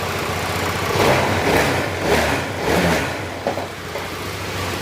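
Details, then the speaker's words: Honda ADV160 scooter engine idling steadily and quietly after a top overhaul, done because it had been neglected on oil; refilled with oil and coolant, drive (panggilid) not yet fitted, no knocks or ticks, running normal. "Ayan, tahimik na."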